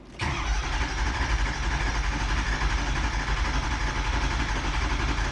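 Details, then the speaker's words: 2004 Ford 6.0 Powerstroke, no start: steady even cranking drone that never fires, FICM 47.5 V, IPR commanded to 84% but ICP reading 0, no high-pressure oil; crank no start. "'84, 0 ICP. Got no low pressure oil."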